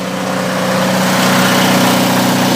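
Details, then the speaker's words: Onan DJB 6 kW diesel generator with new muffler: even, steady low diesel hum, no knocks or misses; healthy running. "come over here this is the exhaust side again uh about 25 ft away from the shed and can easily have a conversation out here"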